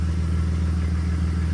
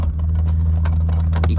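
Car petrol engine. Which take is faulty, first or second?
second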